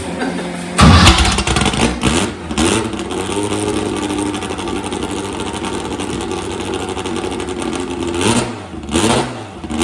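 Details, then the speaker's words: Retired drag car, last run in 1984, first start in 40 years after repairs: catches on the first crank, then settles into a smooth steady run with clean throttle blips; normal start and rev. "Fired right up? Yes. Okay, there's that. First system fixed."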